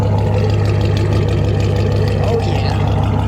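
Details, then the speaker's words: Volvo 240 with LS V8 swap before its first-ever test drive, cold and not yet warmed up, in neutral, new high-pressure fuel pump, good oil pressure: deep loud steady rumble at slightly fast cold idle with open-header bark, no knocks or ticks; normal cold idle. "all right so it's not warmed up yet but we got good oil pressure and this thing sounds good"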